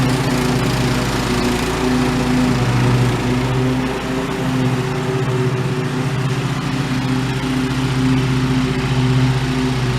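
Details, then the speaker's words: Old OHV Briggs single-cylinder on White LT1300 lawn tractor, repaired after pop, rattle and clang failure, test mowing: steady even drone holding speed under load, no knocks or misses; normal running under load. "I guess for now I would consider this thing resurrected. Looks like she might go again for a little while longer."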